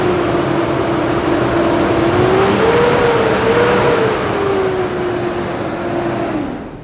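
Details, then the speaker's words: 2012 Nissan Pathfinder, under 85,000 miles, poorly maintained: loud steady whooshing roar rising and falling with revs, fading as engine settles; customer complaint, but normal clutch fan noise. "They can definitely hear it. It's pretty loud. I mean, that's normal. That's a clutch fan."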